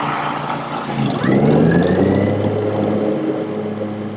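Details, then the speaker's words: Older Scag Turf Tiger mower just fitted with an Ogura soft-start clutch module, first start after install: engine holds steady while a soft whir climbs as the blades spin up, with no bang or stall; way smoother than before. "i meant right off the bat that's like way smoother than what it was"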